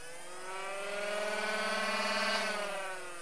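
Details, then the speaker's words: Nerf Elite 2.0 Double Punch blaster's brushless flywheel motors after loosening the screws around the green part; smooth rising whir then even wind-down, earlier rubbing noise gone; normal flywheel spin-up after the fix. "Alors, ça refonctionne normalement comme d'origine et j'entends plus le bruit de frottement, donc je pense que c'est mieux."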